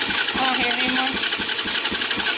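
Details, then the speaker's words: 200cc Chinese dirt bike (fake KTM) with start wires twisted together: quick even whirring churn about four beats a second, no grinding or dead clicks; starter turning the engine over properly. "i think i fixed it let's separate these apart cut the switch on it it's working y'all that's awesome"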